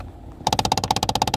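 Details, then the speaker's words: 2011 Kia Optima 2.0 Turbo, glovebox removed, recirculation selected with AC on: sudden rapid even clicking, about fifteen knocks a second, from the recirculation door actuator, which is being replaced. "you see that right there the little actuator that one is the one is making the noise"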